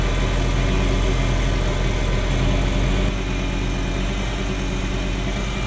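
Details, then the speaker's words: Ferrari Mondial V8 with a timing problem (timing mark not visible, sensor suspected, hard start and popping), plugs cleaned: deep uneven idle with stumbles; cylinders 5–8 misfiring, the bank nearest the firewall. "so it's that bank that's misfiring yeah it's that bang okay"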